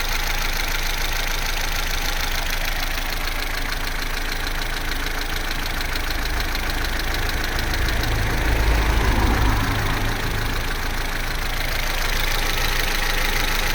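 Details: Vauxhall Corsa C, Z14XEP petrol engine, 86,000 miles, cold idle from start-up to about 6 minutes: an even, low idle with a faint ticky texture but no real chain rattle. The timing chain rattle only becomes pronounced at full operating temperature.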